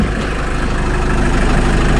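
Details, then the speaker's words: Jeep Wrangler JK 2.8 CRD diesel idling after an oil change and fresh oil fill; smooth regular clatter with no knocking or hunting, much smoother now with nothing out the back: a normal idle. "that's much smoother now so I'm happy with that nothing out the back as well"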